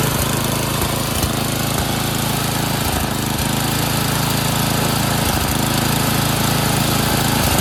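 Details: Craftsman 928 dual-stage snowblower, 9 hp Tecumseh engine, after carburetor cleaning (jets cleared) and a quarter-turn governor/idle adjustment for surging: single-cylinder holding full throttle with an even, steady drone, no hunting; steady running at full throttle.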